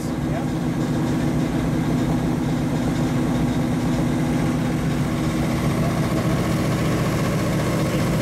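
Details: 1935 Chevy Master with newly installed 409 stroker V8, first start-up, running in gear on jack stands to run in new differential/drivetrain; deep steady burble, even rumble, no knocks or clunks; sounds cammed; normal.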